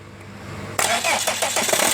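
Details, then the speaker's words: Mercedes ML 2.7 diesel with a clatter at start-up, gearbox removed and dual-mass flywheel bolted solid, engine revved gently. Rapid sharp knocks appear right at start; dual-mass flywheel ruled out, crankshaft problem suspected, possibly loose main bearing seats. "Оп. Слышим стук. При запуске работает двигатель, такой стучочек."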